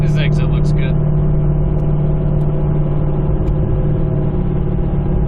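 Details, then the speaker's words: Howl heard above 60 mph, car held at about 70–75 mph: steady low hum under road rumble. Infrared check after braking read the right front hub 138–140°F against 109–110°F, pointing to a worn right front wheel bearing. "so that's a good indication there it's like my right front wheel bearing"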